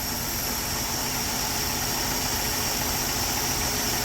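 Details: 1968 Ford F100 after tune-up, idle mixture set with air-fuel ratio gauge (was rich, around 11): steady even idle, smooth low hum, no misses or stumbles; running clean.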